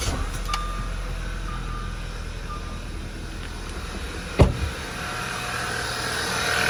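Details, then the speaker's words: 2011 Audi A4 2.0 TFSI turbo Quattro petrol engine after full rebuild, crank-no-start fixed by correcting timing mark alignment; low, smooth, steady normal idle with no misfire or rattle, one brief click; car drives strong. "so I've already driven the car I put about 9 uh six miles on it and it drives flawlessly and it drives good and it's strong"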